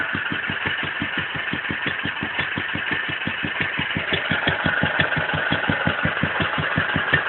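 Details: Wolseley WD2 single-cylinder engine at first fire-up after a rebuild; slow, even chuffing beat of about five firings a second with no misses or knocks, running sweetly. Normal running.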